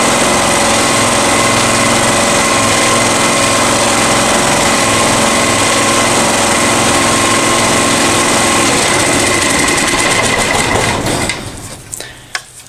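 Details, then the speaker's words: Honda EX1000 generator (1000 W max) after carb cleaning, heavily loaded by a heater and set at high idle: steady, fast, buzzy run with no dips, then winds down to a stop; owner says idle is way too high and should come down slightly. Idle set too high. "Something I don't mention is the engine is idling way too high. It needs to come down just a tiny bit because it is going a little too fast."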